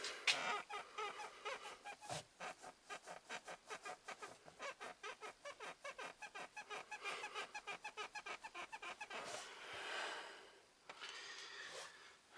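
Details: Ford Focus 3 at 1,523 km: a rapid run of sharp creaky squeaks, about four a second, each time the driver's seat is rocked, in a quiet cabin. The driver's seat squeaks.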